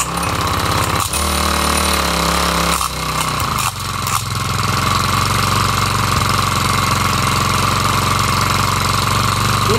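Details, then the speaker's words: Craftsman 4-stroke trimmer, Briggs & Stratton 34cc engine, after carb replacement, unused since last year, at first start: fast, uneven rattle over engine buzz from the recoil, like a loose plastic piece as the crankshaft spins; owner plans to disassemble to check. "when I first started it up I noticed that there was a noise coming from the recoil so as the crankshaft spun around it sounded like there's a loose piece of plastic in there"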